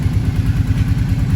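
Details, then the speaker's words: Kawasaki ATV, engine just reinstalled and back together, idling: steady low idle with a fast, loose metallic rattle on each firing pulse; previous heavy knock is gone, owner suspects the exhaust. "It does run. I'll fire it up real quick here. You can hear it run. Good, I guess. Got a little bit of a rattle from something, but we'll figure that out. Probably the exhaust."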